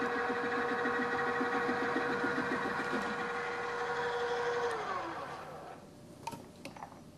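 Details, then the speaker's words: Milling with an end mill held in a drill chuck on a drill press: steady motor hum with rough pulsing rumble and chatter from lack of rigidity, leaving surface irregularities of about ten thousandths of an inch. "everything looks fine so far it looks very much like what you've seen here the milling machine and it's sort of working but you can hear some rumblings some chatter to feed this across the park"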